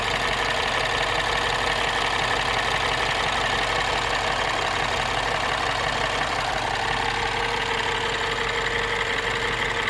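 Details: Light, even ticking about three times a second at idle on a 2012 MINI Cooper S R56 N18 engine at around 80,000 km, present cold and warm; dealer confirmed normal, not timing chain.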